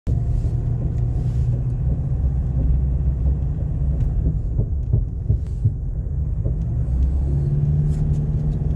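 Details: Nissan Navara D40: heavy low rumble with scattered irregular dull clunks in the middle seconds.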